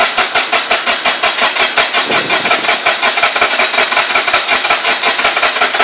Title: Rx8 engine won't start